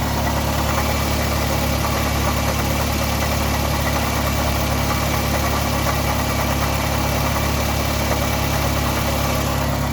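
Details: Toyota Camry 2005 2.4 at steady idle with a faint rhythmic chatter of about three per second over the engine hum; the owner suspects the timing chain tensioner and plans to replace the chain, tensioner and water pump.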